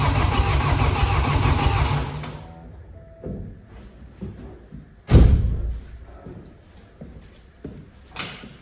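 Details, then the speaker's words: Flood-damaged BMW F20 diesel, first start attempt without a scan tool to prime the fuel, injector ports opened in steps: starter cranks steadily about two seconds without catching; cranking no start, fuel system not primed. "I don't have uh anything to Prime the fuel system so we have to do it on steps I have to open the injector ports a few times until it will start so let's do that"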